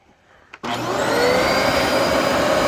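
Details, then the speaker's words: Dyson DC14 vacuum with a newly installed brush roll that locked up: motor spins up with a steady shrill squeal as the belt slips over the seized brush roll, followed by a burning-belt smell. "Oh! Yeah, I can hear that. I can hear that belt squealing."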